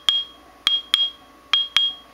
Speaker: and you can hear it's got kind of a ringing sound to it so that's a good one